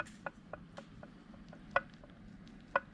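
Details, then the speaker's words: Polaris RZR XP Turbo transmission after rebuild and gear-lash setup (previously excessive lash): soft light ticks about four a second with occasional firmer tap, no heavy clunking; gear lash correct, minimal gear slap. "You hear just a tap. That sounds amazing. And basically you don't want a lot of gear slap."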